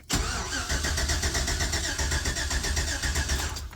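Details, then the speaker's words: 1999–2007 classic GMC Sierra/Chevy Silverado crank no start: starter spins engine at steady even rhythm for several seconds but never fires; poor ignition coil ground leaves no spark, fixed by running coil's black wire to ground. "so anybody has a 99 to 07 classic gmc sierra chevy silverado you've got a crank no start situation like this"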